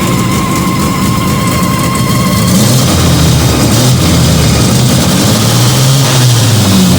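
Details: Fiat 125 (Bialbero) on CNG after installing a new gas injector at the carburettor and the original air filter, just started. Loud, even running with a steady low drone, picking up smoothly without stumbling. Normal running.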